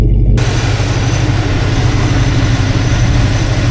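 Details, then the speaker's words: Vortec 5.7 L Suburban after three-day crank-no-start repair: starts instantly, steady even low rumble with no knocks, misses or stumbles; smooth, healthy idle. "Wow, it sounds really good. Smells right."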